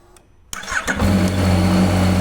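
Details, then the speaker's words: Yamaha XSR900 with a strange start noise from the starter relay: with a jumper fed to the relay it clicks, cranks briefly, fires and settles into a steady, even idle; the relay sticks and feeds current directly to the starter motor. "como podéis haber comprobado en cuanto le hemos metido un arrancador Bueno pues la moto ha arrancado perfectamente"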